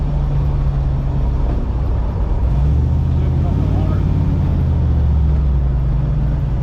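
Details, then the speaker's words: 4L80E automatic transmission that had a whine and no gears, driving after new fluid and a new filter; the old filter was clogged solid. Steady drone under way with smooth shifts, no flare, whine or slipping. Normal transmission operation. "Well, we just put a filter right into it and uh seems to working pretty good here."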